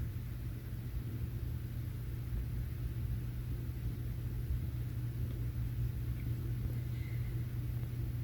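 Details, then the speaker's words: HP Z240 workstation restarted after unplugging power for 10–15 seconds: low, steady hum with no rising roar; the fans no longer race wide open from the suspected firmware glitch, idling quietly at normal speed, not overheating. "this time the fans are not jetting they're not running wide open"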